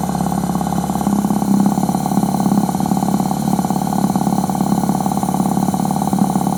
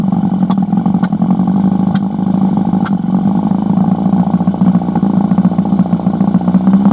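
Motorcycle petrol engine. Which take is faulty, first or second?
second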